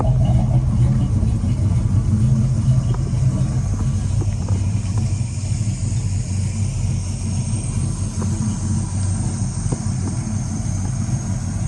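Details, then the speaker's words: Box Chevy V8 at idle on new 8s, just tuned up and firing on one crank, not fully dialed in; deep, steady rumble with an even beat, no knocks or misses, running like a sewing machine; normal idle. "Running like a sewing machine."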